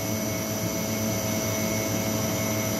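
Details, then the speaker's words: Ideal Imax Xtra F240 commercial boiler after an E02 fault repair, on retest, not at high rate: steady, even burner roar with a constant fan hum, no popping or cutting out, good working pressure and good combustion readings. Normal burner operation. "i can see that my working pressure is quite good with both while it's on it's not in high rate but yeah we've got good working pressure there"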